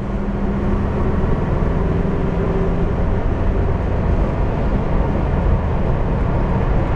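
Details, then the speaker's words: VW bus road test on old highway after gear reduction box repair (damaged bearings; transmission failure debris suspected): steady low road rumble, no whine, growl or clunk; a bit more rumble when turning, drivetrain now quiet. "let's go see how she does on the Old Highway nice and quiet now probably should have done it before nice and quiet you throw it into the turn you hear it Rumble a little bit more and you pre-load the bearings heing quiet now though"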